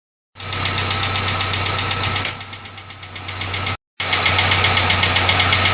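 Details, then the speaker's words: Car engine after an oil change and a replacement mass air flow sensor: steady, fast bright metallic ticking, about four per second, over a smooth idle; top-end tick, cause unknown. "I don't know what that noise is it just started right after I did a water change I you know oil change I'm sorry but my mass air flow sensor had been messing up so I just put another one on there and I'm still getting the noise"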